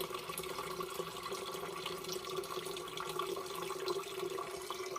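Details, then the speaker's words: Demo furnace condensate line with double trap (ground trap 16 in high, upper P-trap about 2 in), after pulling a trap off: continuous trickling and splashing water, no gurgle or stall; condensate now draining freely. "And there we go. We've got a bunch of water draining really nice now out of our system."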